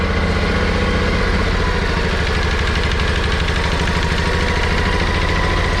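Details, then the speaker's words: Kawasaki FH721V on John Deere X500 mower, suspected cylinder leak (head gasket or valves/rings), valves badly out of adjustment: steady low idle with rhythmic rattly undertone; abnormal idle noise of unclear source, possibly a plastic cover. "that noise that noise that I hear there I'm not sure exactly what it is but I hear it almost sounds like it's plastic cover"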